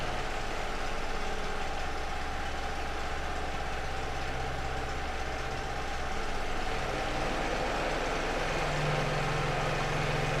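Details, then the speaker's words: Small portable petrol generator running while the speed screw is adjusted to cut fuel use: steady drone whose pitch rises when the screw turns clockwise and drops counterclockwise, running evenly; normal idle speed adjustment. "Okay, if you are listening to that sound very well, you will notice that when I took the screw to the right, that is clockwise, the sound of the generator increased. And when I took it to the left, the sound of the generator reduces."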